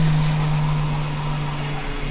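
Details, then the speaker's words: Fuel pumps switched on in a freshly built Nissan SR coupe while fuel pressure is set with an electronic sensor (reading 40 psi, target three bar). A steady low hum holds even with no surging. Normal pump operation. "I got to turn the fuel pumps on on you hear them kick"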